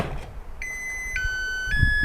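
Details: Mini charger for Makita 18V batteries, charging a 3 Ah Makita pack, after swapping its tune by pulling and reinserting the battery while it sounds: clear electronic tones stepping down in pitch about every half second; normal alternate charge tune.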